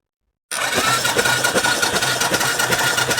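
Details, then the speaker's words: 2013 Royal Enfield Classic 500 EFI single, engine running cold, push-rods checked through inspection panel while pumping oil: light, even valvetrain patter with faint steady whine, no knocking or pinging; normal cold running. "But everything sounds silent, like there's no knocking, there's no pinging."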